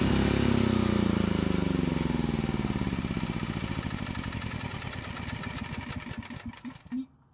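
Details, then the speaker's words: Generac generator, long stored and revived by carburetor work, steady even beat carrying a light load (small space heater) without stumbling, then winds down smoothly and stops; light-load check shows it still works and sounds healthy. "I have to admit it but I didn't put that much of a load on the generator however I just needed to make sure that it still works which it seems to be"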